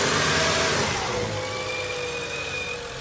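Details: BMW E92 335i, N55 engine, running before valve cover/gasket replacement: thin, high squeal holding steady pitch over the engine; owner believes the PCV system is the cause, not confirmed.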